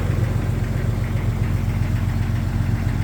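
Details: 1999 Jeep XJ Cherokee, cold start idle: dull, uneven knock about 90 times a minute under low engine drone; suspected piston slap, unconfirmed.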